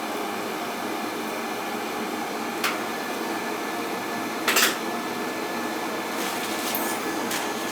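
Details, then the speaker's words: Riello oil burner fired up after its annual service: steady, even roar of flame and fan with no pulsing or rumble, only a few faint clicks; burning clean with no smoke, normal running. "ah nice and clean no smoke"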